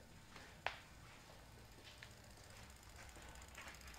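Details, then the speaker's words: 2007 Toyota Camry V6 LE, over 200,000 miles, check engine light: during a scan-tool actuation test, faint sharp clicks about every 1.5 seconds show the EVAP purge valve solenoid is powered and switching, not that it seals. "it's purging away that doesn't mean it's good it just means there is electrical power to it"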